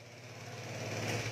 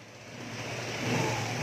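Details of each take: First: Vespa scooter, carburetor (IC AC 19) being reworked: hard to start, catches and idles unevenly for a moment with a wavering tone, then dies after running briefly; fuelling not holding it running. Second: Vespa scooter after carburetor (IC AC 19) work, earlier prone to dying after starting, now revs smoothly from low to higher revs with a clean, even note and no misfire or hesitation; running fine.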